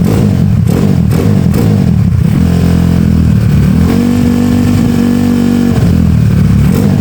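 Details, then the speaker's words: Honda Beat carburetor scooter bored up to 130cc, 2+ years of daily use, with racing exhaust, raised compression, new cam and piston, KW PE26 carb; loud clean single-cylinder blips, smooth, no knock or rattle, engine runs cool; normal revving, healthy before touring. "tadi gua gua udah tes tuh enak banget geberannya. Mantap. Suaranya juga halus. Suaranya halus, Guys."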